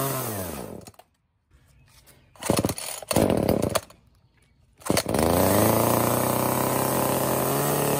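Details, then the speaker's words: Echo CS-305 chainsaw after cracked purge pump bulb and clogged air filter replaced: a few pulls, then catches and holds a steady, even high buzz with no stumbling; runs fine. "so this is a super easy fix all it ended up being was that purge pump bulb and we are back in business"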